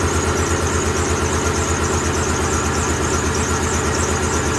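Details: 2007 Ford F-150 4.6 V8 with a flashing MIL and P0302 idles with a regular stumble in the exhaust beat, about three a second. Unplugging the number 2 injector made no difference, so cylinder 2 is dead from a carbon-tracked spark plug.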